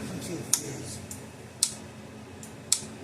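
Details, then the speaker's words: Gallagher M800 electric fence energizer in ground fault test: sharp thin ticks about once a second, higher pitched, light goes out; output transformer shorted internally, only about 4,000 V instead of 6,000–7,000 V. "see the light goes out and it sounds different so it doesn't sound sounds higher pitch so the Transformers got in an internal short in itself"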